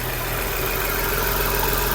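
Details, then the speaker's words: Skoda Superb VR6 six-cylinder idling just after a cold start with fluctuating rpm: a strong airy suction hiss over the engine note as air is drawn in at the failed PCV valve, a vacuum leak behind misfire codes. "जैसे इधर भी बताता हूं आपको यहां पे इसका PCB wall है यहां से हवा ये अंदर खींच रहा है। सो आप देख सकते हैं। आपको बताया मैंने इसका पीसीबी वाल वैक्यूम बना रहा था।"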